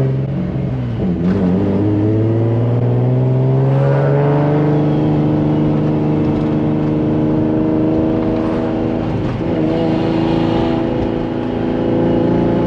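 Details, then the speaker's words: Turbo Nissan Z on a small street tune, first pull in over two years with a boost drop issue: deep exhaust note climbs steadily through a full pull with no wastegate flutter, as the wastegates are not opening. "it just doesn't sound the same bro with the waistcoat's not opening"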